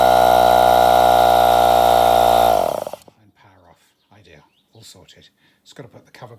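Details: NuTool Impact Air 1.5hp mini compressor after drive belt renewal (slipping belt caused fan to start before compressor), tested with fan refitted: steady even motor hum with fan whir, no knocking or labouring, clean spin-down when switched off; normal running.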